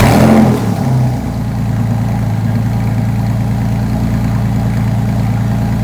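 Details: 2001 Porsche 911 Carrera 4, freshly rebuilt M96 engine bored from 3.4L to 3.8L, startup before second drive: catches, flares briefly, settles to even smooth idle with no ticking or knocking; healthy.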